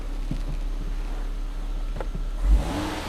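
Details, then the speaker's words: Volvo after a CEM 1A5D 902A fault repair, having had its throttle body replaced: steady idle that picks up cleanly on a quick blip and settles back; throttle response normal, no fault codes and the service engine message gone. "throttle body response as expected still no fault codes service engine message is gone now we have a working car again"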